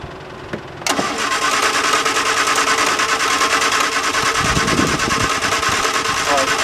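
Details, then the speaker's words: 1973 MG Midget unused for over 20 years, SU carburetors cleaned, first crank: the starter churns the engine over at an even, quick pace but it never fires. There is no spark, so the points are to be cleaned. "I don't see sparks, so we're going to take this apart and clean the points."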